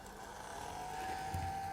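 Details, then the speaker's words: New Atlas C420 model diesel locomotive, not yet run in, at full power: steady smooth mid-pitched whine with strong drive, healthier-sounding than at lower speeds; normal motor running. "Oh, yes. It goes from flatulent to very powerful sounding. Not bad, actually. Sounds healthier at the higher speeds."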